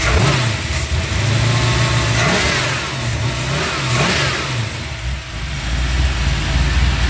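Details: Small-block Chevy 357 with XE274 cam, Vortec heads, 350 turbo, 3k stall and 3.73 posi: stumbling misfire under acceleration at 2500-3000 rpm, and it eventually cuts off. Idles fine. New cap, rotor, plugs and wires, timing checked, no vacuum leaks. Owner suspects a valve or low compression.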